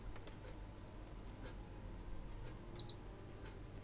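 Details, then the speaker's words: PS3 Super Slim, power button held for safe mode: one short high beep, then the console switches itself off instead of giving the second beep; suspected YLOD/GLOD. "and that's the second beep and it's turned itself off so again let me strip this one down"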